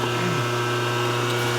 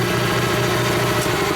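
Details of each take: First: Loud, steady low mains-pitch hum from a 25 hp motor right after switch-on, buzzing hard over shop background; owner thinks it's drawing a lot of amperage, cause unknown. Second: Rotary phase converter box buzz at start-up as a 7.5 hp air compressor motor kicks on and loads the system: steady low electrical hum and buzz, then knocking pulses as it settles; normal start-up behaviour.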